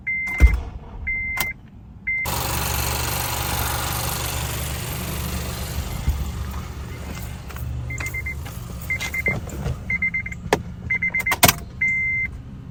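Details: 2006 Acura TSX: door chimes, then a long, weak grinding crank with a low drone that never catches. After troubleshooting, the problem was narrowed down to a failing starter motor.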